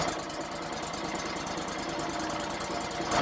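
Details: Auction-bought wood chipper that had a no-start fuel-line problem, on a test run with the choke on, the fuel filter bypassed via a taped connector and the air cleaner off: the small single-cylinder runs at a steady, fast, even idle with a light clatter, no stumble or miss; running fine.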